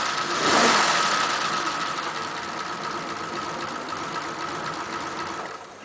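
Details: 1941 Ford pickup, carburettor previously flooding, engine still warm after about half an hour: catches almost straight away and settles into a steady even idle with no stumbling; normal hot restart.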